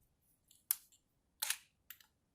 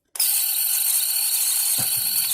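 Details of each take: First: Chinon camera from shipping-container storage, built-in intervalometer timer now working: a few crisp single shutter clicks spaced irregularly a second or more apart in a quiet room, normal timed exposure operation. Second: 1970s Bell & Howell 1225XL Super 8 sound camera, mildewed after shipping-container storage: motor run gives a loud, steady high-pitched scream with no low end, badly distressed motor.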